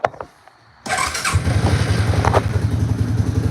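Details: ATV, cold start with no choke, throttle only: silence, then catches and settles into a steady, quick low thump that picks up revs; slow warm-up, then idles well.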